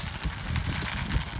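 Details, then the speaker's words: 2009 Traxxas Revo 3.3 nitro RC truck engine, retuned: note goes lumpy and uneven, surging and sagging as it fades; engine dying from running out of fuel. "She's out of gas. Yeah, you hear that? Yeah, it's out of gas."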